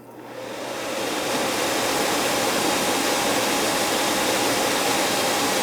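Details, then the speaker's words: 15-year-old AC system icing up badly, blower run by jumpering R to G. The blower spins up over about a second into a smooth, steady rush of air with no scraping, rattle or wobble; the fan is not the issue. "Fan's running. Fan's not an issue."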